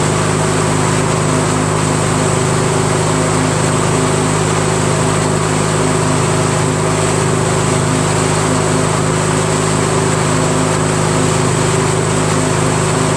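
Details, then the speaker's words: Craftsman DYT4000 with a 14hp Briggs opposed twin repower, electric PTO driving the 3-blade deck with belt tension restored. Smooth, steady hum about four pulses a second, no slipping squeal or clatter. Drive healthy. "how about that huh so it all work so can you believe that there was really nothing wrong with it"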